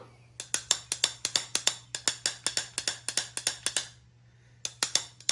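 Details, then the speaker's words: Small-block Chevy pistons from a torn-down engine, rung upside down like bells skirt to skirt: clear ringing pings, number three rings noticeably higher and thinner than the rest, revealing a cracked piston that had oil-fouled its plug. "This is like a kind of a deeper or a lower tone. And this one is a little bit higher pitch. And the one that's making the more noise is number three."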